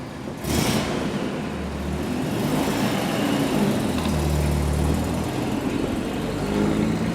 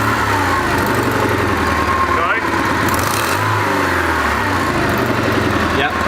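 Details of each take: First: Car restarted after refitting what the owner believes is the idle control valve, the suspected cause of a high idle: the engine catches and settles into a steady idle, a touch high at first, with no surging or bucking. Fixed, normal idle. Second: Car just given a full service with new spark plugs; rough, raspy puffing chuffs that grow harsher as revs rise and fall; bad exhaust leak found up at the exhaust manifold, so the whole exhaust must come off.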